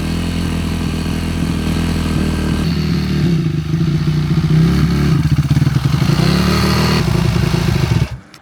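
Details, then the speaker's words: Yamaha YZ450F single-cylinder four-stroke after carburetor cleaning: fast, busy idle with some clatter, well above a normal tickover, then cuts off. Rider notes it runs at quite high revs; high idle speed. "Ei tohon vapaata löytyä. >> Aij tää käy on aika korkeilla kierroksillä."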